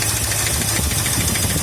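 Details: 1972 Ford F100 302 V8 running with rockers being adjusted, cut-open valve cover: rapid light ticking over a lumpy idle; one rocker gets less oil, owner suspects a failing lifter, also gasket leak.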